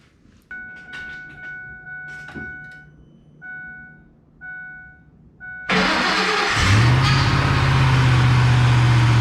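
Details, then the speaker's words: Ford F150 with a $100 Marketplace swapped engine, first start: chimes, crank, catch, brief flare then a flat fixed idle; codes show throttle actuator control motor circuit open, forced idle, throttle body likely unplugged. "all right i got the code reader plugged in throttle actuator control motor circuit open so that must not be plugged in throttle actuator control system forced idle"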